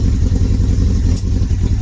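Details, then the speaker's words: Long-unstarted motorcycle engine on choke with air filter removed: lumpy, uneven low chugging as it struggles, one cylinder cutting in and out while the other tries to come in; cylinder misfire during start-up. "Yeah, struggling. It'll go though. You'll hear that other cylinder trying to come in. You hear it?"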